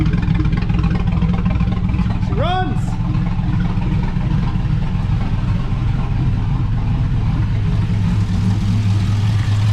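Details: GMC Sierra 5.3 LS V8 (stated as 2005 or 2006) running on first startup after a broken lifter was fixed with a BTR Truck Norris cam and LS7 lifters, no muffler: loud steady deep rumble, even firing, no top-end ticking or knocking; healthy.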